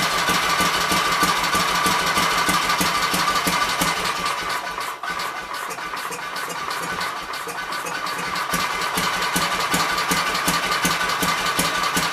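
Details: Kohler K241 single-cylinder engine, likely off a Gravely 810, revived after mixture screws set to three turns: steady, even firing holding idle on its own, no misses or stumbles, not really smoking.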